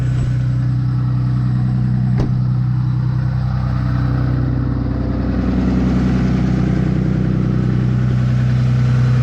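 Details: Ram Cummins 6.7 diesel, plugged in, warming up in 30-degree weather at high idle around 1100 rpm with exhaust brake on, recorded outside; loud even jet-like drone. Normal high idle.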